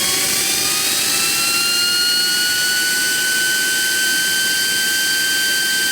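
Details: JetCat RC jet turbine before repair, forced started by air assist due to starter clutch failure, high idle exhaust temperature: steady high whine creeping up over hissing roar; worn bearings and a deformed, cracked NGV rubbing the turbine blades.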